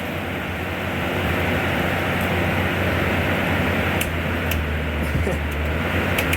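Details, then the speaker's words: 1994 Whirlpool Designer Style 2-ton (~25,000 BTU) R22 window air conditioner with Bristol reciprocating compressor, fan only on first startup in a cool winter shop: loud steady air rush over a low hum, no scraping, so the fan runs fine. The dirty condenser has good airflow. "It's a noisemaker for sure. A big unit."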